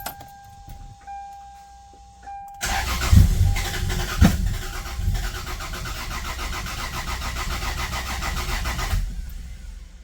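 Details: Rebuilt Toyota 2JZ (GS300) with six new plugs and new coil packs: steady cranking about four turns a second for six seconds, never firing; cam timing out, seized variable cam gear. Owner also suspected bad gas; timing later redone.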